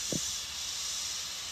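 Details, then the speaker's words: Corona plasma reactor (DBD) just switched on: steady airy high-pitched hiss with no rhythm, not a fan; normal corona discharge sound. "bunyinya seperti itu ya. Itu bukan bunyi kipas ya, itu bunyi plasmanya ya."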